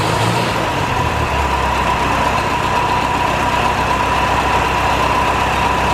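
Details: 1949 Ferguson TO-20, Continental Z120 four-cylinder, sat 15-30 years, just revived after cleaning carburetor filter goo, run briefly without coolant: steady idle with a constant thin whine on top; rough, owner suspects bad generator bearings.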